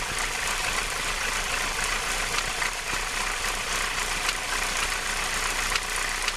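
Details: Renault R19 16V phase 1 F7P engine at idle with the alternator belt removed. A busy hiss and chatter with faint irregular ticks comes from the cambelt area; the strange noise is unidentified.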